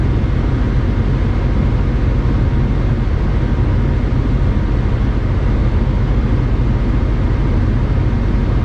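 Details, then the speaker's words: 1996–2000 Honda Civic LX D16Y7 after cleaning the idle air control valve, which previously made it stumble and die when idling down: steady, even low hum with no dips or stumbles as it warms and idles down; idling normally. "at this point I'm going to call it a success cuz before it would be stumbling all over the place by now you see it idling down"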